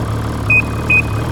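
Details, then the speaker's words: 2012 Ski-Doo MXZ 800R E-TEC, 3,700 miles, replacement engine with 700 miles under recall, steady low idle hum with two electronic beeps; runs even, no knocks or misses, normal idle. "So, runs well, looks good."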